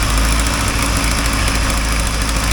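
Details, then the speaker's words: 1980 Triumph TR7 petrol engine just reassembled and running, with the choke needed: steady idle with a fast, sharp puffing tick over the low rumble on one side; owner suspects an exhaust leak, not confirmed; no knocking heard. "now it's got a you can hear an exhaust leak on this side here I have to follow up and out of it I think it's an"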